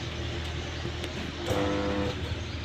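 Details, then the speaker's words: New star-delta starter panel test: at start the contactors give a steady hum and fail to pull in, so the motor won't start. The contactor coils are 220 V rather than 440 V, leaving them weak on the neutral. "देखिए यहां से star delta जब हम start करते हैं देखिए आवाज कैसा हमिंग का साउंड आएगा इसमें। ये स्टार्ट नहीं हो रहा है।"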